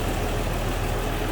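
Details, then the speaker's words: 1960 Mercury Comet inline six (previous owner states 170 cu in), heard under the hood at idle: an even, steady low tickover with no knocks or stumbles. A smooth runner. "Smooth runner. Like I said, fun one for your local roll-ins, cruise-ins, local shows."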